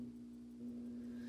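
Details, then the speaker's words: Fire alarm panel battery charger right after batteries were reconnected following a load test: steady, low, even hum, no buzz or rattle, charger drawing current; normal charger hum. "so just if the batteries back up I can immediately hear the charger trying to go hear that humming"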